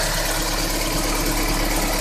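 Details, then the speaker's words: Daewoo Nexia GM 8-valve after replacing a worn rocker and dressing the camshaft: smooth even idle with only timing belt, slight whine and injectors audible; the knock, previously identical cold and hot, is gone. "Слышно только работу ремня ГРМ, легкое подвывание и форсуночки."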